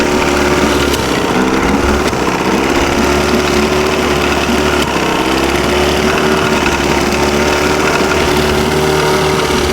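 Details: Restored 63-year-old boat engine running for the first time, temperature 136–142, idling somewhat high, cooling water flowing: loud steady even drone with no misses or knocks; running healthy.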